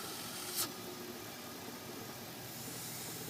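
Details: 1995 BMW 540i (E34, M60B40 V8) at idle: a strong, steady hiss over a quiet idle, the sound of a large intake vacuum leak.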